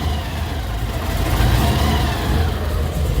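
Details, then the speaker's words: 1955 Chevy with Holley EFI, warmest start yet: low, uneven beat with slow rise and fall in idle speed and the IAC position bouncing; small vacuum leak suspected, not yet found. "What's the IAC position right now? Yeah, I kind of figured bouncing. Yeah, I'm thinking we have a small vacuum leak."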